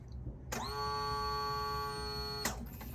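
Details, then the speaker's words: 2014 Yamaha Zuma 125cc scooter revived after storage since 2017, key-on after reassembly: clean steady electric whine about two seconds then cuts off; normal fuel pump prime. "if I've done it right then when I turn the key the fuel pump will turn on so check that now"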